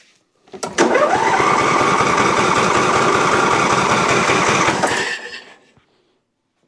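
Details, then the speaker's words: Briggs & Stratton Intek V-twin on an Exmark Quest zero-turn that bogs under load, during a plug-pull test: it runs briefly, then dies when the good cylinder's plug is pulled. Dead cylinder from a valve train fault. "Well, obviously I knew that there's something going on with this cylinder and know that there's an issue with the valve train at this point."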